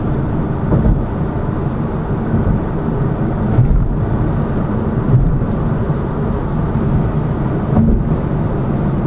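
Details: Lada Vesta Cross with AMT 2.0 robotised gearbox, full load, driving rough road, rail crossings and bridge joints, head-mounted camera; after replacing the front shock struts, stabilizer and engine mount the suspension knock is gone, only road rumble and soft thuds.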